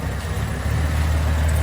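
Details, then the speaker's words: VG Valiant replacement engine (light-metal head, stage three cam, 245 with 265 head): deep, lumpy burble at idle, no rocker tick; valvetrain quiet and healthy. "nice the old girl sounds sweet now lovely lovely beautiful"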